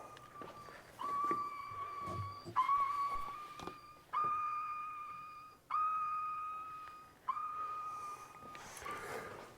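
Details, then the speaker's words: Jeep Wagoneer sitting parked in the shop: a single clear ding repeats about every one and a half seconds, sonar-like and constant, with no evident cause; persistent warning chime. "So as this thing sits, it has that annoying chime. And so while I'm in the shop, I hear that constantly."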